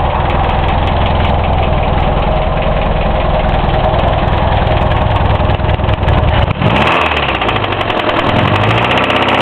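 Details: Hillman Imp engine just reassembled, one of its first starts, bearings and tappets checked within tolerance, oil full: steady idle with a heavy, regular knock on every turn; loud knock, source unknown.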